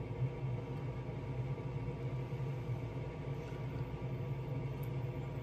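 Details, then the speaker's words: 2017 Heatmaster SS G100S outdoor wood boiler after cleaning the fan and the front damper. On cold start the damper opens nicely and the draft fan gives a steady low hum without rattles or scraping; healthy. "Let's make sure she starts to open up nicely. And there she goes. She's already starting."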